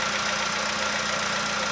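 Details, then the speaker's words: 2015 VW Polo sedan, cold start at −2.5 °C outside, engine near 20 °C: light, quick ticking keeping pace with a steady idle over a faint whine, fading as it warms; suspected cold valve or hydraulic lifter, unconfirmed. "Это холодный клапан. Ну не знаю. Гидрокомпенсатор."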